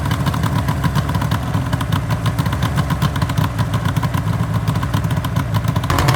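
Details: 1974 Suzuki GT750L two-stroke triple (Water Buffalo/Kettle), first start-up after rebuild from cartons, battery 12.6 V: rapid crackly idle with steady low drone, even firing, slight rise near the end; fresh rebuild running cleanly, normal.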